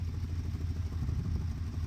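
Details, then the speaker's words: Dodge Ramcharger V8, carbureted, just restarted on choke after plug check: deep, lumpy, irregular idle, running a little rough; owner suspects an exhaust leak at the rear and an unlocated vacuum leak around the carb. "A little rough. It sounds like we may have an exhaust leak back here."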